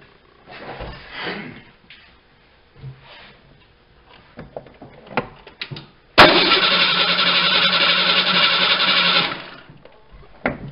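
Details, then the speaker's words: Fuel-injected vehicle that sat for an extended period, spark confirmed: starter cranks steadily about three seconds at even rhythm but never fires. Crank no start; bad fuel pump suspected. "so seeing that it has spark and that it doesn't fire up obviously there's a few things that make them overrun their spark compression and fuel"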